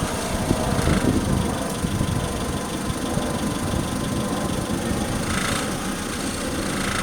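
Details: 2003 Honda Civic EX, engine barely off idle: a loose, uneven metallic rattle comes in when slowly accelerating or decelerating at very low rpm; source unknown.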